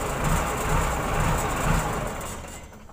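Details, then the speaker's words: Komatsu wheel loader diesel shutting down after faulty alternator IC regulator was fixed; dashboard lights previously stayed on with key off. Rumble runs unevenly briefly then dies away smoothly; normal shutdown. "Oke, sekarang udah mati ya teman-teman ya, lampunya ya udah normal."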